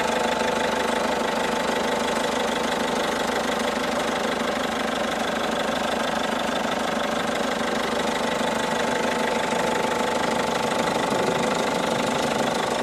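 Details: 2012 Peugeot 207 HDi diesel at idle: steady, fairly regular knock about three times a second over the diesel clatter; source not pinned down.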